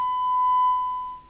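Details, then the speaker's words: 1981 DNT B40 UK FM CB radio base after capacitor replacement and transmit/frequency alignment: test tone in receive audio sounds harsh and buzzy, distorted; assumed because receiver (detector) not yet aligned. "It doesn't sound right, but I'm assuming we've just got the receiver to do, and that's why."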